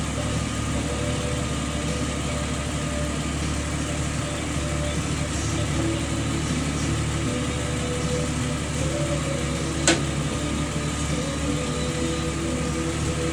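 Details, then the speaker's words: Jeep Wrangler at idle: steady high-pitched squeal, constant pitch over an even idle; serpentine belt slipping suspected, not confirmed. "Oh man, I get this squeak is driving me nuts."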